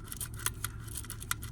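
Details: VE V6 Holden Commodore during clutch replacement, gearbox partly out: dry, scratchy clicks and scraping as the clutch thrust (release) bearing is turned by hand, worn and rough, needing replacement.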